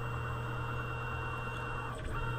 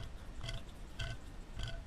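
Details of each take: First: Tormach mill, Z axis jogging before the Y-axis ball screw replacement: steady, even motor hum with constant low tone, no grinding or knocking; normal axis drive sound. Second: Tormach CNC mill worn Y-axis ball screw, removed and turned by hand: gritty, uneven crunching surges about every half second, rough and rusty, completely worn out; being replaced with a new screw.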